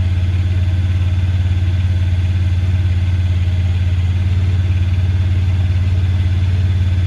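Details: 2017 Honda Pioneer 1000-5, code 9-2: a fast, steady idle with a slightly uneven pulse of about 214 beats a minute; high rough idle from factory over-crimped, broken wires at the idle air control valve plug, fixed by replacing and recrimping the plug.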